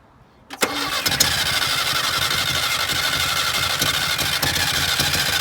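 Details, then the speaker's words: 1978 Datsun 1500 Ute GN620, first start after 20 years, fed from temporary tank: short crank, then catches and runs ragged and uneven, hunting for fuel; fuel starvation, later fuel leak. "Go again. wants to run. Got a temporary tank plumbed in there. Let's see if it's going to suck fuel up through that temporary tank there."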